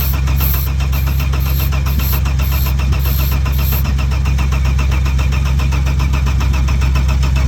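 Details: Saab 900 V6 after sitting in a paddock, fuel pressure present but fuel smells stale, starter tiring: churns over at a steady even chug about three beats a second with no firing; cranks, no start.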